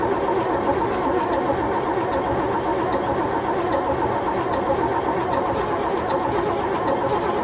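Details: AEC Matador 7.7 litre diesel, in neutral on a cold day, after overhauled injection pump and injectors refitted: steady slow cranking, no firing; won't start, air in the fuel system since it was apart.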